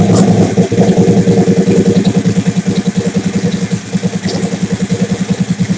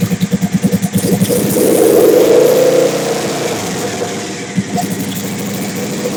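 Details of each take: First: Big-turbo Suzuki TL1000R V-twin with 560cc injectors and Power Commander, during idle tuning: lumpy idle pulsing about three times a second with uneven beats and throttle blips; owner says it is running leaner, lean idle. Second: Big-turbo Suzuki TL1000R V-twin with 560cc injectors and Power Commander, after idle tuning: lumpy even idle, a quick blip that rises and falls cleanly, then back to steady idle; owner happy with it, normal idle.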